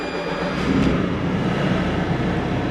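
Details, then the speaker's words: Volvo 140 excavator diesel started after cleaning and injector/filter work: deep, steady, even rumble with no knocks or stumbles, no warning lights; running normally. "seems to be running good. No warning lights."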